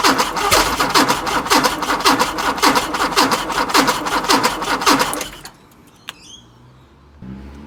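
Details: Chrysler Valiant Hemi 265 six with rebuilt starter wired to a bypass switch: steady rhythmic cranking churn for about five seconds, no firing; cranks but won't start.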